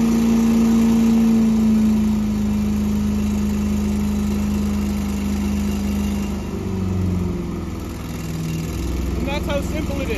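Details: Small gasoline engine started after winterization with fuel stabilizer, fogging oil and warm-stored battery; catches and settles into steady, even idle with smooth drone, no misses or knocks; initial smoke pop is fogging oil burning off, healthy.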